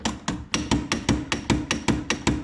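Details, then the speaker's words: Jeep Wrangler YJ with the engine off: sharp, hollow clunks about four a second from where the steering shaft leaves the firewall into the universal joint, whose lower bearing is largely gone; a worn steering shaft bearing, clunking over bumps. "ok this is where your steering shaft comes out of the firewall goes into a universal and there supposed to be a bearing and as you can see this right here is what's left of the bearing"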